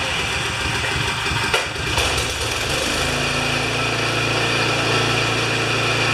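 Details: Craftsman 24-inch 9HP snowblower that came in not running, now started after a repair complicated by a lot of wires: brief stumble, then an even, steady hum without misses or surging; running properly.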